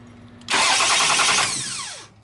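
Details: 2001 Toyota Sienna after replacing the bad starter: sudden loud rush as the engine catches at once, then revs settle smoothly in about half a second; normal crank and start.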